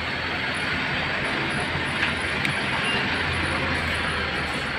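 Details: Suzuki Satria FU150 with a Keihin PE28 carburetor: steady, even idle hum with light mechanical chatter and no misses or stumbles, running normally.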